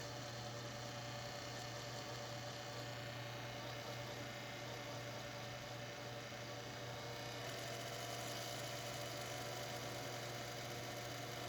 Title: Computer Grinding Noise